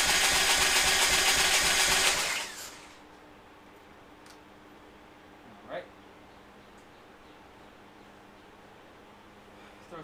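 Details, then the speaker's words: 2001 Harley Sportster, 1200 conversion with Wiseco 10:1 pistons, just fitted with Andrews N2 cams and S&S lifters, cranked with plugs out to circulate oil: quick, even whirring spin for about two seconds, no compression pulses, turns freely. "I spun it over as you saw by hand. Just go ahead and roll it over, get some oil circulated."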